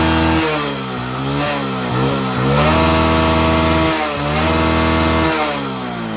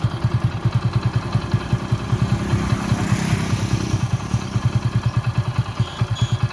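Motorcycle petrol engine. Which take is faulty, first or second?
first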